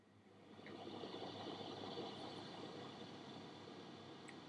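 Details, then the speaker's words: iMac after an OS update, fans under automatic SMC control at idle with nothing intensive running: steady high airy rush like a jet, far too loud; loud cooling fan at idle, later fixed with custom fan control. "hopefully that's coming through on the audio it's pretty loud and this is just kind of idle nothing's like really running that's really intensive"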